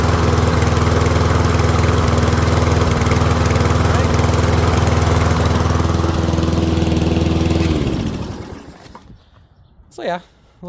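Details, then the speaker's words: Troy-Bilt rear-wheel-drive mower with Briggs & Stratton Professional engine, after ultrasonic carb clean, running low on fuel after about 5 minutes: smooth, steady single-cylinder drone with even beat, no misses, then winds down and stops; engine healthy. "It's going to run out of fuel in the next couple minutes, so it's going to chug chug chug and then basically die out."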